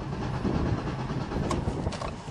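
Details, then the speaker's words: Flood-drowned Chrysler caravan after drying the spark plugs: low, rumbling cranking with a few clanks that never catches; spark is still to be checked. "not even a sound uh oh it's a fuel pump work sounds like it no that ain't good"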